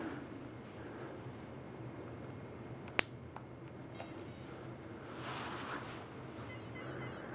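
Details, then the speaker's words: Align helicopter ESC powered up at low throttle on the throttle channel, motor out of the helicopter: quiet room then short high chirping beep groups from the motor, the normal arming tone showing it is armed and ready. "so that's the arming sound so it tells me I'm in first second mode I've got two beefs third mode number one okay so that means it's armed and it's ready to go"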